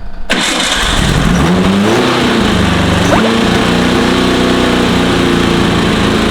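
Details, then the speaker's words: VW Type 1 engine in sand rail, first run after dead battery/blown fuse: fires and climbs to a fast steady hum that stays high with no throttle; idle set far too high. "I barely hit the button. The idle's way higher than it needs to be."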